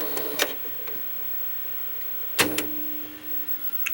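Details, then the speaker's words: 1990 GE 2-head mono VHS VCR, heads and mechanisms cleaned, rewinding a tape it keeps threaded: a few mechanism clicks, faint even spooling hum, then a clunk as it auto-stops at tape counter zero. Normal rewind. "and now this is pretty cool when I rewind unit it will stop rewinding as soon as the tape counter gets to"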